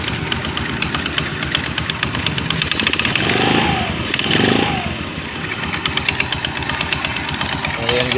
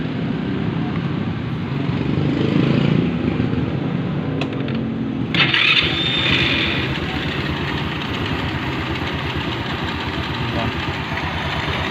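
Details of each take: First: Fashion 125 scooter with noisy CVT on first start-up: fluttering, slapping rattle over the idle from a slack, loose drive belt whipping in the case. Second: Rusi Fashion 125 scooter after the loose CVT belt was replaced with a new tight one: starts and settles into an even idle with no rattle from the belt-drive side, unlike the noisy first start before.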